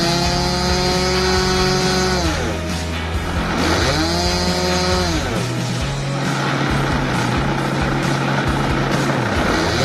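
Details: Skyline MX2 RC plane with an OS .55 AX glow engine, first start after 3 years stored with after-run oil: a high buzzing note revs up and down cleanly and holds steady without stumbling; running healthy.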